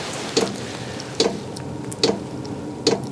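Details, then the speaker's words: Vevor 8kW diesel heater running in very cold weather: crisp regular ticks a bit over once per second over fan hiss. This is normal fuel pump dosing, though it seems louder than the day before, possibly from priming. "so I'm sure you can all hear that ticking that ticking is actually the fuel pump now it's hard to say because it does seem a little loud right now"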